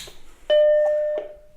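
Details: Macintosh Plus powered on after replacing the RIFA safety capacitors on the analog board and desoldering some solder points; a single clean mid-pitched startup chime under a second long sounds right, though no picture appears yet.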